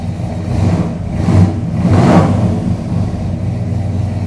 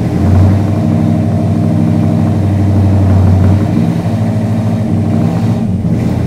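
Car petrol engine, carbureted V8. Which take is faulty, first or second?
second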